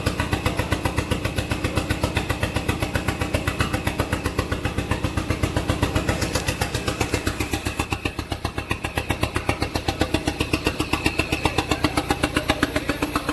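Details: SRT-4 engine in a drift truck, first test start. Fast chugging at about four beats a second that sags and recovers. Rough, hunting idle because the throttle position sensor is missing, so idle can't be added.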